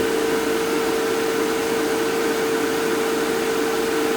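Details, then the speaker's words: Fieldpiece MR45 recovery machine after oil was added, previously noisy; smooth, even single mid-pitched drone with no knocks or rattles, compressor running clean, said to sound better than new. "That actually sounds better than when it was brand new."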